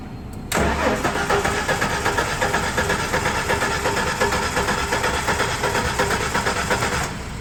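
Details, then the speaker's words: Ford 4.9L shop truck after new ignition coil: even, brisk cranking about three turns a second with no firing; distributor not turning due to broken cam timing gear. "go ahead and crank it oh that's a problem our spinning thing is no spinny yeah that's our issue"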